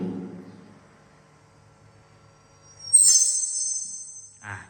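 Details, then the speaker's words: Microphone plugged straight into the mixer, not through the FBX Z-Z anti-feedback unit, and held close to the speaker; a piercing high-pitched howl erupts and hangs, acoustic feedback. "ระยะระยะประมาณหอนนะครับหอนหอนโอเคนะครับมันหอนนะครับมันหอนแล้ว"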